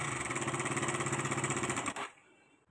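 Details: KTM Duke 200cc motorcycle at idle: fast, even metallic chatter about thirteen beats a second, gone when engine cuts; timing chain noise.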